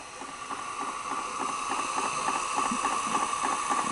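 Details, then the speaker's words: Sanyo 6800 Beta VCR after board repair, slow mode: quick even ticking, nearly four per second, over a soft steady whine as the tape advances frame by frame, working normally. "It's just barely moving. Hit play and it goes to normal. So if you hit, you can hear the frame by frame. Hear it? It's going frame by frame."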